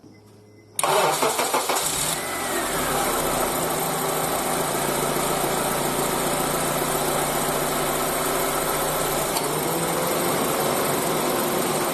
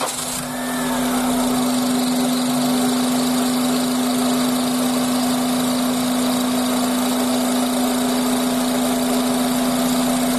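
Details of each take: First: Petrol engine starts and settles into an even idle with no belt squeal or chirp, with AC on or off, after lubricating a sticking belt tensioner pulley; lubrication is only a temporary fix, tensioner needs replacing. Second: Honda Accord engine at idle: steady high squeal, louder with the AC on and gone with slight throttle; serpentine belt slipping from insufficient tension, aged belt or weak automatic tensioner.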